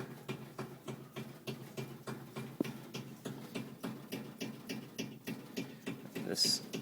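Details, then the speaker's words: Soft regular thumps about three per second with a faint hum underneath from an air conditioner/heat unit; the thump is felt through the copper pipe, though the pipe itself isn't the source. Cause unclear. "copper pipe is vibrating whatever it is but it's not the pipe itself but i can feel the thump coming through it"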